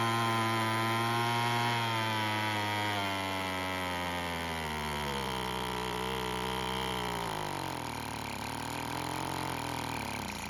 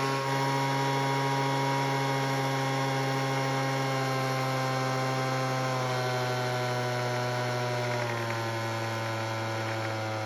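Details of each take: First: Weed Eater two-stroke leaf blower after a splash of fuel was added: it buzzes but its pitch wanders and sags, then it stops; a lean idle mixture is suspected. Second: Weed Eater leaf blower after its carb was tuned, mainly by turning the L screw out to add idle fuel: a steady, even two-stroke drone at constant pitch with slight dips; it now starts and runs.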